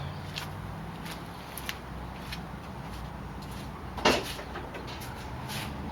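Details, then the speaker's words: 2005 VW Passat 1.8L turbo, after replacing spark plugs with NGK PFR6Q (idle previously rough): engine catches and settles into an even low idle with steady unbroken rhythm, no misfire stumble; normal idle. "Sounds good. I'm going to take it for a ride."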